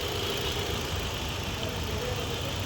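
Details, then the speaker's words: Hyundai i20 petrol with stored P0300/cylinder 3 misfire history, idling after checks show ignition coil and spark on all four plugs fine: steady, even idle with no stumbles; engine sounds silent and smooth. "Fishing वगैरह कुछ भी नहीं दिख रहा है। देख सकते हैं कैप को एकदम साइलेंट दिख रहा है गाड़ी।"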